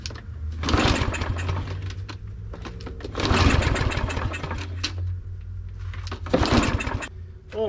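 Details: Fairly new Troy-Bilt push mower, no-start, broken recoil string: three short pull-cranking bursts with a little gas primed into the carburetor, no catch; cause found to be a sheared flywheel key.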